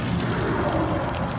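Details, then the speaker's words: Trailer hub that caught fire on the interstate: steady hissing sizzle with no rhythm, like water boiling off hot metal; the hub had overheated and the tire was about to fall off. "that was on fire nah it was a hub yeah that tire is about to fall off"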